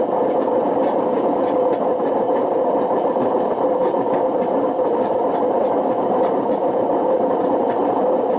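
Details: Washing machine on spin with badly worn drum bearings: a loud steady roar with a constant whine and a little rumble underneath. The bearings got so bad they damaged the spider and put excessive wear on the motor.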